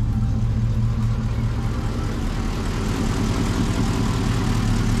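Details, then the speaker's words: Lexus 1UZ-FE V8 swapped into a Jeep KJ, with cooling system and radiator hoses newly fitted and earlier engine issues sorted. It fires up easily into a steady, deep, even V8 idle with a smooth low rumble and no knocks or misses: normal idle. "let's quickly start this up and now then you can listen for yourself okay so i still haven't really put this in place and here's my little rfid tag this armed as you guys can hear just fires up so easily now"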